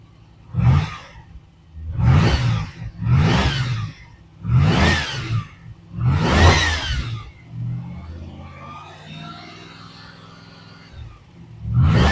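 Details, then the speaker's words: Triumph TR8 (Oporto) V8 warming up, heard from front: five quick throttle blips rising and falling cleanly, then idle starting to slow as warmth comes in; normal revving. "It's getting a little bit of warmth in it now, and it's starting to slow down a little bit. So she's coming down."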